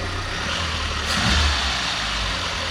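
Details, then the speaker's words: VW Golf with freshly fitted secondhand engine at idle, battery low with fans drawing power, which owner assumes makes it a bit rough: small rev blip settling back to a steady, even idle with no knocks or misses; sounds okay. "it sounds okay that i assume it's a bit of rough now because the battery is low and now the fans are sucking the power"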